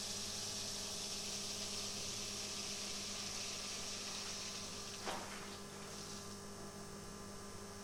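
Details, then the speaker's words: Mercedes W124 after heater water pump replacement, car powered from a bench supply; quiet, steady electric hum with faint irregular gurgles and a brief splash as air bubbles clear from the heating circuit; air in the pump. "now you can hear that the air has been cleared out of the heating circuit that's what the strange noises are from the pump it's air bubbles basically"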